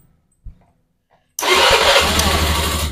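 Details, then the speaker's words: Carbureted Honda Beat with weak starter, after fitting and charging a new battery: brief quiet, then the starter spins briskly and the engine catches at once into a steady idle; weak starting was from a battery lacking amperage. "maka dia normal ya teman-teman saat kita ces saat aki sehat Dia normal kembali ya teman-teman"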